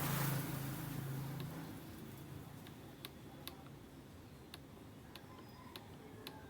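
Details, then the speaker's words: Old KDK stand fan, noisy and slow, stopping: motor hum fades as it slows, leaving sharp irregular ticks about twice a second; worn, dry motor sleeve bushing, to be replaced (capacitor also checked). "lakas ang lakas ng ano niya palag pudpod na yung busing nito eh"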